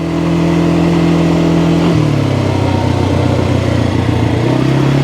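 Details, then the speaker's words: 2022 Kawasaki Brute Force 300 ATV (complaint: lost low gear), test ride in low/high, mic without wind sock: smooth drone climbing and settling with throttle, gears catch right away; runs really good, normal acceleration. "really good I don't have any issues"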